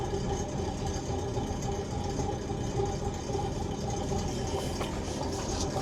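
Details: Volvo Penta TAMD 71B marine diesel, stood 10 years in a partially sunk abandoned boat, prop test in gear: low steady rumble under prop load, even beat, no knocks or rattles; running normally.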